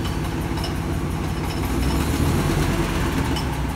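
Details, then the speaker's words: 1999 Ford F250 Triton V10 with aluminum heads after blown-out spark plug thread repair: low even idle rumble, no puffing or ticking from the cylinder; fixed, faint rattle is the A/C compressor clutch. "now that sounds a little better [Applause] I think we got it the rally you hear is the clutch on the compressor of the air conditioner"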